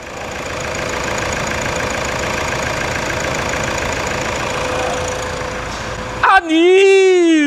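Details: Toyota SW4 3.0 turbo diesel idling after decarbonization, tank cleaning, injector test, radiator replacement and automatic transmission fluid and engine oil changes, following an 89.1 km test drive: an even light clatter about four beats a second with no misses; healthy.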